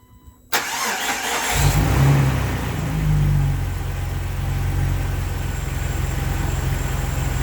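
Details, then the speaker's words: Jeep TJ 4.0 six-cylinder cranks, fires and settles into a low, uneven stumbling idle with stutter, throwing a cylinder 3 misfire; compression and leak-down normal, new coil and plugs no help; a vacuum leak was just repaired. "I'm experiencing this stutter and rough idle that makes the Jeep undriveable it's throwing cylinder 3 misfire no matter what I do"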